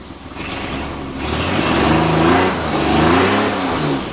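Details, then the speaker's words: Nissan Z31 V6 during coolant pressure test idle: uneven lumpy idle with stumbling beat and revs sagging and surging; misfire because spark plug wires for cylinders four and six were crossed. "not firing oh my god that'll make it easy to work on this thing idiot you got the wires mixed up"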